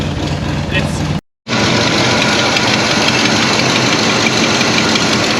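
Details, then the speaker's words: 1973 Oldsmobile 98, 66,000 original miles, first run after about 15 years, warming up at idle: loud raspy idle with sharp ticking puff about four times a second; exhaust manifold gasket missing an entire chunk. "Obviously you can hear, I'm sure you can hear it's actually missing an entire chunk of gasket right at the manifold. So that's why it's so loud right there."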